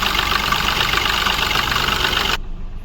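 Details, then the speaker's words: Mahindra Bolero Neo diesel at idle with check engine light: rough, hard, uneven knock about three times a second with engine and body shaking. "Car हमारी start है। किस तरीके से knocking कर रही है। कांप रही है। तो ये इंजन का हालत है।"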